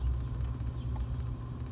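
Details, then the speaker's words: 2004 Jeep Liberty 3.7 heater blower motor, which had no operation on any speed, run at full speed by grounding the blower lead directly to bypass the resistor/control: low steady whoosh and even motor hum, blower itself works; fault lies in resistor, wiring or control. "there we go we can hear that okay so we know that our blower works"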